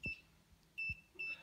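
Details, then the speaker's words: Dead Ninebot E+ scooter, failed after about three weeks, within minutes of switching to riding mode 0: short high beeps about every half second with a brief low motor whirr, then it shuts off. Owner suspects the control board failed from too much power transfer. "if I hit the button to turn it on it beeps and just shuts off"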